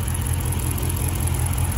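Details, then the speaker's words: Dodge Charger R/T idling during a coil pack disconnect test: a deep, uneven, lumpy idle with a stumbling beat as a cylinder drops out; misfire, test confirms coil pack number 6 is bad. "guys so confirmation there that the call pack number six is bad"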